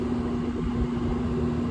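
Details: Trane Precedent 7.5-ton unit, new EBM blower motor after bad bearings: steady even blower hum, low drone, no grinding or rattling; recommissioned at 4.75 V DC, about 1044 rpm, 0.9 static pressure, about 2700 CFM.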